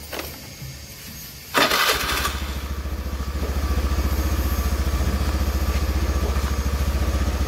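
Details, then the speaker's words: Honda Beat F1 after an overhaul with rings refitted and lapped valves for lost compression, stalling and oil loss: it catches after a short crank and settles into a steady, smooth idle, left running 5-10 minutes to warm. "mesin sudah hidup bunyinya halus juga untuk sementara kita Raihan Duduk dulu sekitar 5-10 menit dulu biar hidup"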